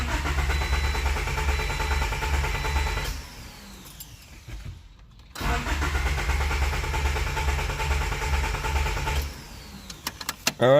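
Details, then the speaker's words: JDM D15B VTEC turbo Honda with newly installed Acura RDX injectors, before the basemap chip goes into the OBD1 ECU: two spells of even starter cranking, but the engine never fires. Cranks, no start. "let's just see what it does yeah see it definitely doesn't want to start"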